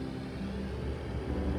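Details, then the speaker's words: ICP N8MXL0701712A1 furnace/AC in a hot attic, blower switched on while owner troubleshoots random blower on/off before replacing the fan time delay relay: low, steady, even hum, no knocks or rattles; blower motor running normally. "I don't know if you hear the little hum the blow is on now okay so it's going to run regardless right"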